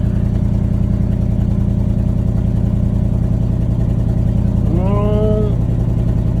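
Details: 1979 Chevrolet C30 square-body truck, with fuel poured into the carburetor: a steady, even V8 rumble at fast idle with a brief chirp near the end. Power steering was low and creaked before topping up. Normal running.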